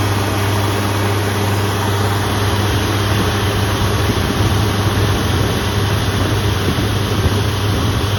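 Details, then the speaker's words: Spartan Urban Warrior hydro jetter truck at idle during its first service. Loud engine drone with uneven surging: the pump pulses because its ripped, kinked, leaking quarter-inch supply hose can't supply the estimated 3–4 gpm the pump pushes even at idle. "he located a hose that was ripped and kinked in our machine which is why it's uh not running smoothly it's pulsating as he was saying"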